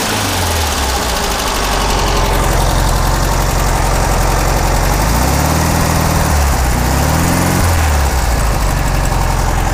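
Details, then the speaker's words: 1600cc dual-port flat-four from a 1970 VW Beetle, run before a compression test, even rough-edged drone with a couple of brief throttle blips and no knocking or rattles; runs healthily. "how I do what the hell that Sal would yeah all right well I'll let it cool down and you know I'll start a compression test on it don't sound too bad"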